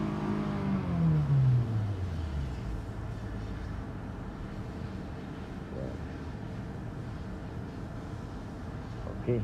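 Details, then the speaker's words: 2023 Nissan Altima that stalled with fluctuating RPM (code P0101), after cleaning the dirty MAF sensor: revs drop smoothly from a blip to a steady idle with AC on, no hunting; no trouble codes. "stable na siya. At wala na rin siyang trouble code. Kaya hindi na siya kagaya kanina na gumaganon-ganon yung RPM niya."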